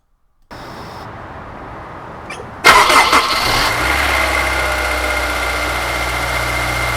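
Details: Honda S2000 engine cranks and catches, then a loud, fast metal-on-metal tapping like a baseball card in bicycle spokes sits over the idle; timing chain slack from failing OEM timing chain tensioner design flaw.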